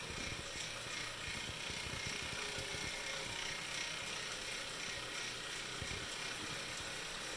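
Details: Wahoo Kickr Core trainer spinning; light ticking a few times a second over its airy hiss, source unclear; ticking noise.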